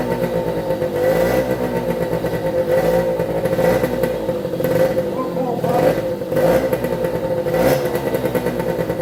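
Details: 1973 Suzuki TS50 two-stroke, first kick start after full restoration, choked and slightly cold: it starts on one kick, buzzes at a steady high-pitched idle with brief throttle blips and settles quickly. Air seen in the oil pump lines. Normal idle.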